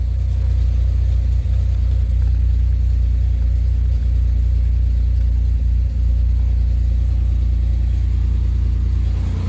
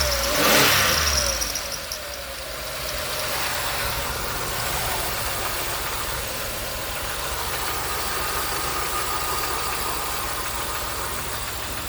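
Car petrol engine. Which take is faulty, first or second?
second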